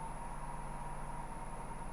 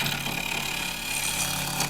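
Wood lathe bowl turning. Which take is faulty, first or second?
second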